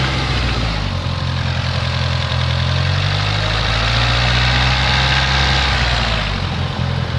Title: Dsm Rod Knock